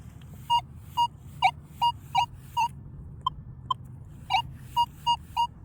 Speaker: This is going to have stabilizer at 1. Okay. I want you to listen to what it sounds like first.